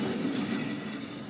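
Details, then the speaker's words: 2009 Pontiac Vibe AWD: steady low droning growl under road noise at and below highway speed, also on gravel, no knocking; worn rear hub bearing assembly, both rear bearings replaced. "it has a wheel bearing type noise steady hum at highway speeds and even below on highway speeds you can hear it on a gravel road even uh i've determined the noises from the rear"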